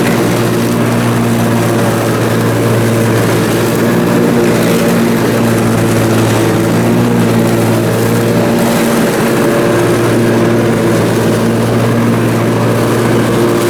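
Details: Briggs & Stratton Intek M44 twin engine after a full twin-carburetor tear-down and clean, under mowing load: smooth, constant drone, steady pitch, no hunting or surging; sounds way better. Normal running under load after repair.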